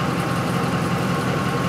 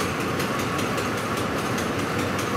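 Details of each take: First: 2004 Ford F-150 5.4L V8 that stalls when hot and won't restart until cool, fuel pump bypassed to run full speed, smooth steady idle; rail pressure reads 75 psi maximum. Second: 2004 Ford F-150 5.4L that stalls when hot, pump and rail pressure sensor already replaced: rail pressure at 109, ragged hunting idle with stumbles near stalling; fuel starvation and lean, pump driver module not grounding the pump.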